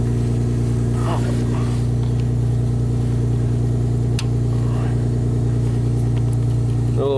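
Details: Steady, even idle of a 1999 Honda Accord V6 with nearly 280,000 miles, just revived from a crank-no-start and warming up; no stumble while the relay is tapped, running on all cylinders.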